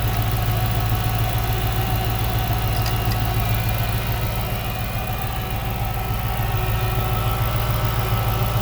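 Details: 2006 Chrysler 300 SRT8 V8 at idle after an intake manifold gasket replacement for a suspected leak causing cold-start vibration. Even, steady, smooth deep drone with no lope, shake or ticking. Normal idle.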